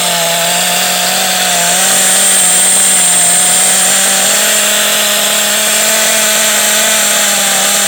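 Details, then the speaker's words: Kyosho DBX 2.0 GXR .18 nitro engine revving: harsh, rough rattle over a steady buzz, definitely a bad bearing, suspected to be the crankshaft bearing, before strip-down. "so there's 100% bad bear in there somewhere I mean you can hear it it sounds terrible"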